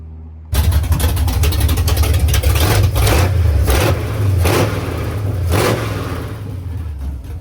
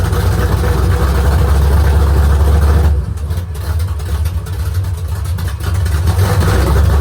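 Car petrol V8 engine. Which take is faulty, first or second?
second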